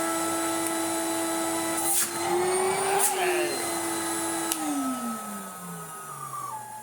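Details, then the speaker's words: 1990s Numatic BX190 (BX.BX) commercial vacuum, first run with uncleaned filter: steady even motor whine with rushing air that dips briefly, then winds down smoothly; nice suction, normal running. "There's still a nice amount of suction in there."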